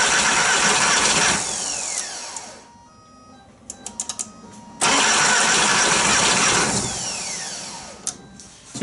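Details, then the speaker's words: VW Jetta A3 TDI diesel after glow plug harness replacement, injector lines reinstalled with one left loose to bleed: two long cranking runs with no firing or catch; no start from air in the injector lines. "now it's not gonna it's not going to start immediately don't get all freaked out all right I'm going to go ahead and attempt to start the car and we'll see how long it actually takes before it fires over"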